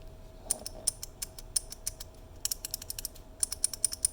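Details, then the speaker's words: 3D-printed prototype key switch tuned to be as clicky as possible, pressed in quick bursts: sharp, bright, crisp loud clicks over a quiet background; a very clicky switch working as intended. "this is one that i tried to get as clicky as possible"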